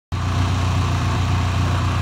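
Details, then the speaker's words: Ford Ranger awaiting new pulley to be pressed on, alternator not charging so battery charger connected: low even rumble, no knocks, ticks or misses; quiet, smooth, steady normal idle. "Listen how quiet it's idling though. They're running good for now. Running real good."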